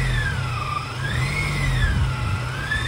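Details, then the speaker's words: Supercharged Subaru Outback H6, hot after a spirited drive: idle hunts up and down with the supercharger whine rising and falling about every 1.5 s; owner suspects the returnless fuel system; surging idle. "as you can hear the idle is kind of it's always like searching for the idols going up and down after a a spirited Drive engine's hot and this is how it sounds"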